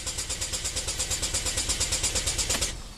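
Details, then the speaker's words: 2012 Chevy Equinox direct-injected engine, code P0615 after aftermarket alarm removal, 2,100 psi fuel rail, charger at 14 V: even cranking about three pulses per second that never fires and won't self-stop after 5 seconds; crank no-start, failed engine control module. "But if it doesn't fire up, it should quit after about 5 seconds or so to not drain your battery or kill your starter. This thing keeps on cranking."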